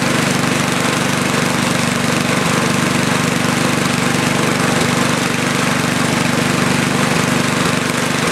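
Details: Cold snow blower small single at about 30°F, full choke, half throttle, after replacing the carburetor float-bowl drain gasket. Runs with a soft uneven pum-pum beat under the exhaust drone; rich mixture, since more choke made it worse.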